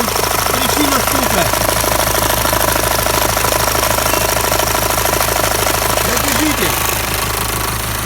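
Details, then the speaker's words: Mitsubishi Pajero Sport 2 knocking at idle and low rpm: steady light tapping over a rough idle, in time with the engine, from a loose, slapping timing belt. The knock stopped when the belt was pried with a screwdriver. "ГРМ. Сейчас я его поддел отверткой. Стук пропал."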